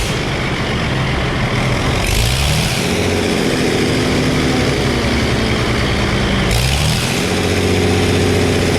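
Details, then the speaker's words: Early Case 930 diesel tractor, believed 1960, possibly first start in about 14 years: idles low, then climbs cleanly to a higher steady drone and back again; healthy throttle response with no misses or knocks. "This is a neat tractor. I'm pretty proud of it. Listen to this throttle response."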